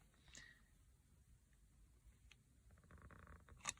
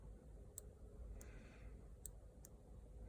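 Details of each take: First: 2010 Hyundai Santa Fe CRDi driver's seat belt buckle: sharp, irregular clicks when fastening, from a faulty microswitch not switching cleanly, causing a constant chime; fixed by opening the buckle and repairing the microswitch. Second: 2010 Hyundai Santa Fe CRDi driver's seat belt buckle, after the microswitch hinge was reseated and adjusted: a handful of crisp, light clicks in a quiet room as the microswitch presses and releases cleanly; the switch works properly.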